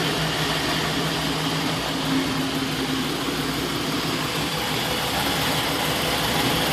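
A steady engine idle with an uneven, shaky beat and no clean rhythm underneath points to a rough idle of unknown cause.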